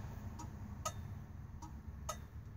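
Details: Original low-mile 1969 Dodge Dart 4-door, garaged and sat since 1988, being brought back to running: even click-clack turn signal ticking about fifty cycles a minute over a quiet background; left side signal works, flasher relay normal.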